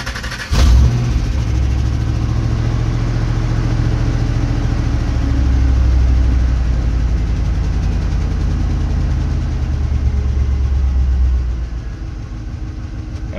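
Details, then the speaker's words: Holley 750-carbureted engine just after a cold start on a roughly 90-degree day, in neutral, warming up: deep, steady, even idle with no misses or knocks; normal cold idle. "okay while i'm allowing my engine to warm up you guys can kind of hear it's got a pretty consistent idle"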